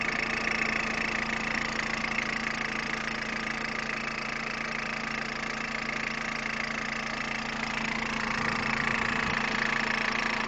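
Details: Peugeot 106 1.5 diesel (11/2002), 130,000 km, timing belt done at 73,000 km: a steady ticking of about three beats a second rides over the idle. Abnormal ticking at idle, source not identified.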